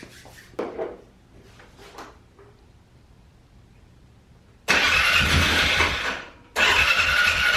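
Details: 2012 Polaris Sportsman 400 HO ATV, bought as a non-runner with a gummed-up carb, first start after the idle fix for bogging and dying: brief quiet, then it catches at once and settles to a steady, even idle without stumbling; normal start and idle.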